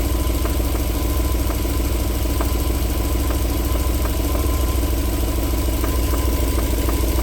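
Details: 1994 Alfa Romeo 3.0 24v QV petrol V6: deep steady idle with a light, regular knock returning after about 4 minutes warm; silky smooth when cold.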